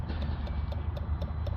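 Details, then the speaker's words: Citroën Jumper 2.0 diesel (AdBlue, clogged DPF), after codes are cleared and additive priming is commanded: light, crisp ticks about four per second from the EOLYS additive tank pump, the normal priming sound. "hope you can hear that on camera, but you get a ticking noise there coming from the EOLYS tank."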